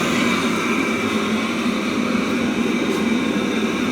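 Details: Webasto Thermo Top C auxiliary heater from a BMW E60, bench-run after repair. A bulb stands in for the solenoid valve and temperature is rising with no errors. Steady, even combustion whoosh over a smooth fan hum, no pulsing or smoke; runs like new.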